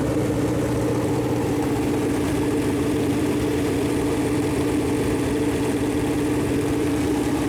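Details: Freshly built Chevy Performance 454 big-block V8 on a run-in stand, first start: steady even idle, smooth low drone, no knocks, ticks or misses; normal idle.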